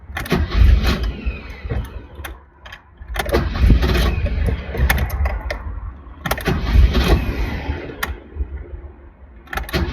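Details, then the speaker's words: 1983 BMW 320i (E21), about 40 years old, on a cross-country drive; first morning start in a parking lot: repeated few-second cranking bursts, starter churning evenly but engine never catches. Cranks, won't start; owner suspects fuel pump losing prime. "car still won't start I'm still stuck here in the parking lot my guess is the fuel pump it's losing Prime"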